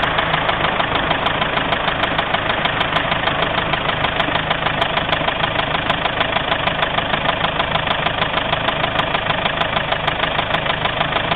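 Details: Mazda 6 idling: steady even rumble pulsing about three times a second over a rough gravelly drone. Engine rumbling noise, cause unidentified.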